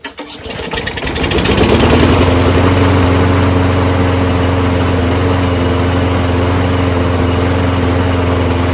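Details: Lawnmower that wouldn't start after winter storage, just after quick carburetor cleaning of ethanol-gummed jets: catches after a couple of coughs, reaches speed within two seconds, then settles into an even steady putter; running properly.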